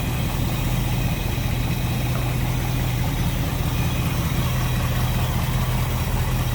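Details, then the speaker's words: 1955 Ford Fairlane Crown Victoria V8 with Edelbrock carb: deep, even burble at idle with a steady low rhythm, no knocks or misses; normal idle. "sounds good slip around to the back maybe here a little bit better now like I said no more crazy exhaust just a nice little deep throat exhaustion"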